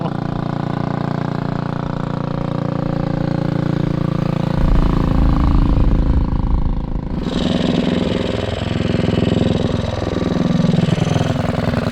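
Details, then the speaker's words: 228cc engine in a custom 4WD Ford Bronco Power Wheels go-kart on its first drive, gearing too tall with poor acceleration; a low, labouring single-cylinder drone climbing slowly, bogging under load, shorter gearing needed. "So we really need to change the gearing, it sounds like."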